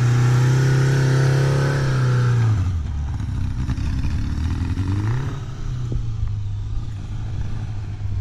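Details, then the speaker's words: Kawasaki GPZ550-engined ATV conversion with slick tyres, riding in grass: engine note climbs and hangs while road speed lags, then drops and surges again, clutch still slipping a little under acceleration but improving. "sounds like it's still slipping a little bit but she's getting there"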